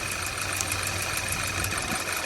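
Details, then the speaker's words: 2012 Audi A4 quattro 2.0T, 113,000 miles, flashing check-engine light for a catalyst-damaging misfire. Lumpy, stumbling idle with a hiss during a power balance test. Misfire. "that made it worse i'm gonna sneak number three off this one's gonna be a little bit tricky i'm pretty sure i sneaked that one off enough and it's not making any kind of change i'm pretty sure it's cylinder number three"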